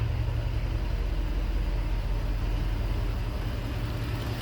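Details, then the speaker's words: 1964 Ford four-door cruiser with FE V8, Summit 600 vacuum-secondary carb, automatic, first start in months: deep even burble at idle, steady loping beat, no knocks, typical FE noises; running healthy, burning off oil from leaking valve cover gaskets. "All right, there she is purring away. Sounds like a typical FE out back. Some cliche FE noises for sure."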